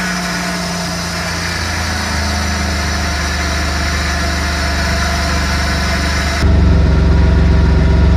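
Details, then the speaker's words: VN Commodore burnout project car just fitted with aftermarket intake pipe and pod air filter: steady even idle, then louder throaty intake roar when revved; runs clean, owner says sounds supercharged. "I made sure it's tight. And yeah, so now it's tight all the way. And this air filter sounds like supercharged in a way."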